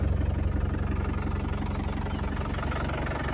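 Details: 1990 Land Rover Defender 110 200Tdi diesel, 137,000 miles, just started with no warning lights: even diesel clatter at a steady idle, about three pulses a second with no misses; the engine runs smoothly with no blow-by and no smoke.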